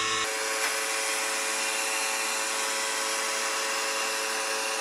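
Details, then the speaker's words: PS5 Slim console: steady high rough buzz with several fixed tones, never changing pitch, from either the detachable disc drive or the cooling fan; common defect, exact source unconfirmed; loud buzzing. "so as you can probably hear in all these videos there's a really loud buzzing sound that's coming from either the disc drive or the PS5 Slims cooling van"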